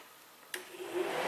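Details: 2003 Chevrolet Impala (P0332 knock sensor case), cooling fan commanded on with a scan tool through fan relay number two. A relay clicks, then the fan whooshes up to speed with a smooth, even rising rush and no scraping. Normal fan operation.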